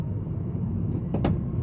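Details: 2013/14 Honda Civic G9, about 20 days after purchase, driving: a quick, short, hollow double knock over steady road rumble from the right front suspension. Cause found to be a loose front link and control arm.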